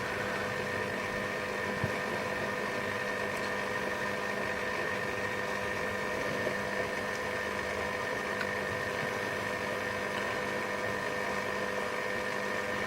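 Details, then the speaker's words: Mains-powered engine coolant preheater newly fitted to a Ferrari 308 GT4's cooling system, heating element at the top and pump at the bottom: a steady, even electric hum with no knocks or surging while it starts warming the coolant. Normal. "it makes a bit of a noise starting to get warm at the top here heating elements in this top bit here and pumps down the bottom"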